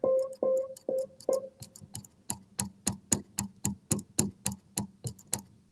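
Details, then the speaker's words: Upright piano action, mic close: sharp metallic click repeating about once a second as a key is played, a clinking metal-on-metal contact inside the action. "thumbs up if you can hear that cool all right so we have a metal on metal sound and that's important is uh a clinking sound"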